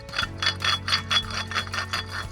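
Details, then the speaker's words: Dodge Ram 2500 6.7 Cummins, shaft turning: rhythmic gritty rattle and metallic clinking; the water pump bearing is worn, with a lot of play and loud, so the pump is being replaced. "it's bad bad and then it's got a lot of play and it's loud"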